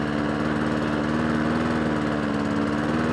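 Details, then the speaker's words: Old Mountfield mower with a Honda engine after a full service; it would not run before and may not be warm yet. Small single-cylinder runs smooth and even with no misses and pulls strongly, though the carburettor idle needs adjusting. "Bit of idle work on the carburetor needed. I dare say it wants a really good run as well. But it pulls like an absolute train."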